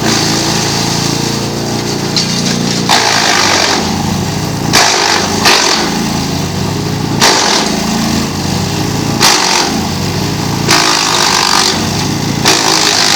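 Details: GreenMech Arborist 130 wood chipper on dull blades: steady engine drone with bursts of rough chewing every second or two as dull blades slow the feed; productivity reduced but no downtime.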